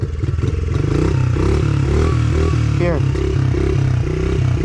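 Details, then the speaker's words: Brand new Honda 50cc motorbike after kick-starting with no throttle applied: small single catches cleanly and settles into an even, steady low putter with no misses, a healthy normal idle. "I think it's just no throttle when you when you just"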